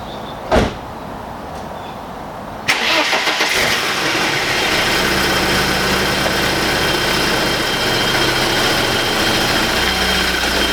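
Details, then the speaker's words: Four-door BMW E30, owned about eight years, runs and drives but is tired: it cranks, catches and idles with a busy metallic rattle it has always had; the source is undetermined. "So as you can tell, guys, it doesn't sound good, but it never has. It's always sounded like a rattle box."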